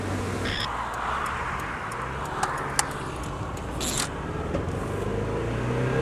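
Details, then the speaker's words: Mazda Miata on road test; accelerating, uneven stumbling beat with irregular pops, running on 3 cylinders with a pop at the exhaust manifold, owner unsure why: misfire. "Je suis sur 3 cylindres là. Je peux pas vous faire un truc correct là, je sais pas pourquoi aujourd'hui elle tourne sur 3 cylindres."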